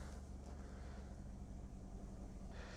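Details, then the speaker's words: Mazda 2 1.5 litre petrol (TS2) idling after its mass airflow sensor was cleaned for a rough idle: a low, even hum with no dips. RPM and MAF rate are steady and fuel trims okay, a normal idle. "This time it looks like the mass airflow rate is a little bit lower and the rotation per minute are quite steady until now."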